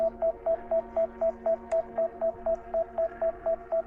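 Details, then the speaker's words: DJI Mini 5 Pro controller during a waypoint mission at 0 degrees, drone hovering and refusing to land on return: steady mid-pitched beeps about four a second over a faint hum; warning of unknown cause, possibly obstacle avoidance. "Let's come forward and get rid of the beep. There we go. Oh, no. Come on. Okay. I don't know why it's still beeping."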